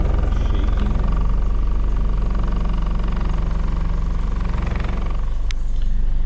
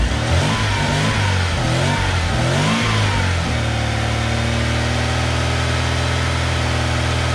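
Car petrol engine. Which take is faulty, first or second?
first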